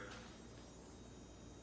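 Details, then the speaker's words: Aftermarket HID headlight bulbs in a Hyundai Genesis Coupe, just switched on and warming up: a faint, steady, high-pitched ballast whine over a low hum, described as very common for HIDs. "that annoying high-pitched whine. I'm not sure how obvious it comes across on camera, uh but that's very common for HIDs."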